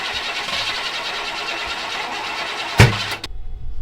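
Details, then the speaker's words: Vortec 5.7 L Suburban with crank no start, battery 45% charge with jump box and charger, key on checking fuel pressure: steady cranking whir, never fires; no fuel, owner plans to jump fuel pump relay. "Yeah, so that's a no-go. I'm gonna try to jump the fuel pump relay and see if I can get it to continuously run."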